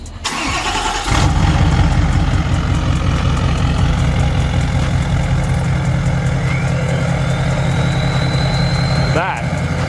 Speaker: how that's supposed to sound so that's good